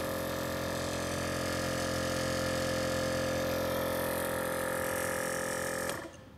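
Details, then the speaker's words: VIAIR 444c air-ride compressor hard-mounted with wood screws in a trunk: loud steady drone with a strong fixed motor hum, vibration passing into the trunk floor, metered at about 76–77 dB, much louder than the 310 SS. "all right we got about 76 to 77 decibels and that already sounds much louder than the 310."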